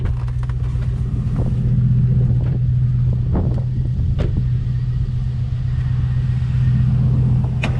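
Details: 2000 Chevy Tahoe V8 idling with a deep, uneven lope and stumbling beat; misfire returned a month and a half after new computer and injectors; check engine light blinking for misfire.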